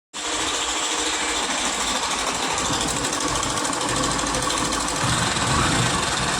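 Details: Hero Passion BS6 single-cylinder motorcycle engine idling with a fast, dry metallic rattle from the timing chain, before timing chain replacement.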